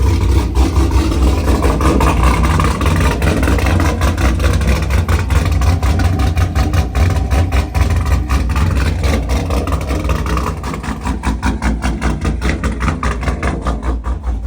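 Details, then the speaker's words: Pontiac G8 V8 second start after engine rebuild, exhaust refitted but not lining up right: deep steady burble with even beat, no misses, knocks or ticks; normal idle. "So as y'all can see, car started."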